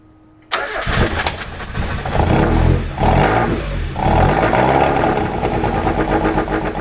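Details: 1997 Miata, stock block, fully ported head, stock valves, 99 springs, 264 cams, Maruha ITBs, Freedom ECU, first start: uneven hunting lumpy idle; burnt-out TPS makes ECU think wide-open throttle; throttles may need resync.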